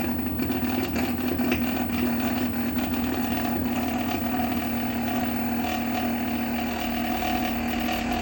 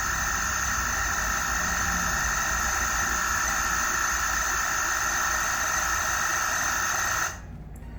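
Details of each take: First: Megmeet Mite series inverter PCB after matching and uploading the compressor data: an even, steady mid-pitched hum with no knocks or surging, and no error. Normal compressor running. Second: Megmeet drive board (Mite series) running a compressor in quick start mode after reading its stored data: steady high whine with several fixed tones that cuts off abruptly; the same annoying noise as before, blamed on faulty board PROM data.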